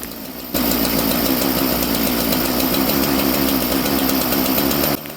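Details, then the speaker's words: Governed-carb chainsaw being tuned: low jet turned in, leaning the mixture, so the idle rises to a fast, thin buzz that climbs until there's not enough fuel and it wants to die; lean low-speed mixture. "And you'll hear as I turn it in, as it gets leaner, it runs faster until the point where there's not enough fuel and it'll want to die."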